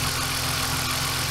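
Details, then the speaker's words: BMW E46 323i, freshly reassembled M52B25 inline-six, throttle body not yet cleaned, no leaks: smooth, even idle with soft steady hum and no knocks or ticks; owner says it runs superbly, normal idle. "Táta vždycky říkal, hele, šepot květin. Si běhá to úplně superově."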